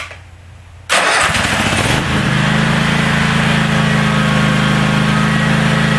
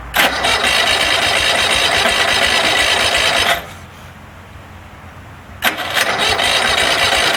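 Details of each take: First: DR all-terrain brush mower, 17 hp Kawasaki, after carburettor cleaned: quiet, then catches within a second with no choke and settles straight into a steady, even idle; running clean. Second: DR all-terrain brush mower with 17 hp Kawasaki FH500V, won't run off choke, before carburettor cleaning: roars, drops out about two seconds, then catches again, not running cleanly; owner suspects clogged carburettor air bleed.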